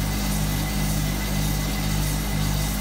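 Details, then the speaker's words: Hotpoint Supermatic De Luxe 9414 twin tub spin drum, new belt fitted so it is much faster and smoother: even low drone with a gentle twice-a-second swell, no slapping or squeal; normal smooth spin. "the spin speed on these are incredible Eva Mendes my newest fortunately it's so much faster"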